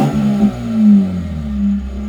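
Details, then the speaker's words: Mazda RX-8 rotary with a tune, running after a missing fuel pump fuse was fixed: short even rev to about 5,000 rpm climbs and holds smoothly with no stumble or misfire. Normal rev. "Five grand. Smooth as. There you go."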